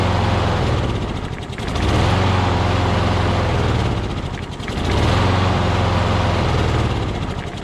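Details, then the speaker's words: Craftsman push mower with crankcase oil way overfilled, smoking heavily, oil in the muffler, suspected hydrolocked. Small engine surges and sags about every three seconds and never settles; rough running from overfilled crankcase oil. "you can see there's a lot of oil in the muffler probably hydro blocked which means it has to burn that oil off"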